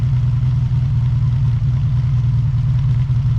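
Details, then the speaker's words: Honda VF750F V4 motorcycle idling after a cold start on a cool morning with choke, first run, before carburetor sync: steady, even low rumble with regular pulse, no knocks or misses; normal idle. "it does have a nice nice sound these these V4 sound so good when they're running in my opinion one of the better sounding"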